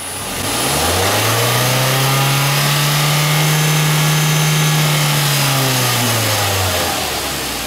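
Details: Engine revved via the throttle body during a vacuum gauge test: climbs smoothly from idle to a steady higher speed and settles back, clean and even with no knocks; gauge rises as desired, healthy engine.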